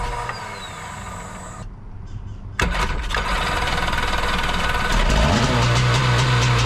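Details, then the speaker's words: Jet boat engine with freshly rebuilt carbs and new gaskets, fed fresh gas from a pump: brief quiet, then catches at once and settles into steady, even idle, no misses or knocks. "oh okay she fired right up and sat there in idle"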